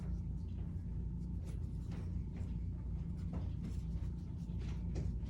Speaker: you guys hear my dryer it's so loud